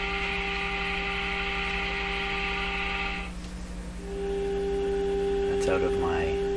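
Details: Electrohome Cosmic tube radio with distortion, weak output and poor AVC, fed from a signal generator, heard through the radio speaker: steady mains hum under thin, muddy sound that cuts out briefly and returns; weak, distorted output with hum, cause not yet found.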